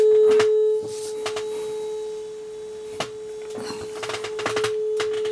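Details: Aussie signal tracer board on a 9.2 V supply drawing about 30 mA, bench-tested before further work; a clean, steady mid-pitched test tone with only a few handling clicks, so the board passes the signal properly.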